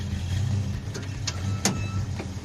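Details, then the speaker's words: Red Plymouth Duster on a road trip with 275/60-15 rear tires: heavy low road rumble with brief sharp chirps breaking through, diagnosed as a worn rear axle bearing. "yep there it is it's totally an axle bearing"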